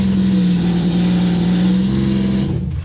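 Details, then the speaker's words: Sea-Doo XP X4 converted to Spark ACE 900 four-stroke, first start out of water with limp-mode warning: catches and holds a steady even drone briefly, then shuts down cleanly; sounds good. "It runs. It actually sounds really good."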